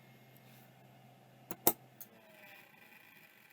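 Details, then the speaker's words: Vintage hard drive spin-down: faint fading whir, then two or three sharp clicks as the heads auto-park; bearings sound good and the drive seems to work, untested on a computer. "it's Auto parking all right I did not expect that either uh again bearings sound beautiful drive sounds like it's working"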